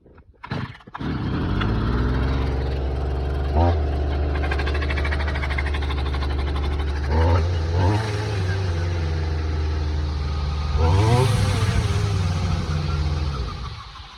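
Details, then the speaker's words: Stihl brush cutter, two-stroke, started after about three weeks unused, a couple of pulls then steady high drone with brief revs; disc whistle indicates high gearbox (reducer) speed. Normal high-speed running. "Ви чуєте цей свист диску? А знаєте, що цей свист значить? А це значить те, що у неї великі обороти на редукторові."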